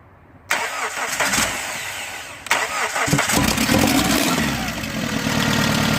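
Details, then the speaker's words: First start of SOHC engine swapped into a Neon after timing set, sensors and injectors swapped, coolant temp sensor not yet connected: starter whirrs, brief stumble, then catches and settles into an even, clean idle. "so right now I just want to hear it fire up so here is first start of the suicide swap"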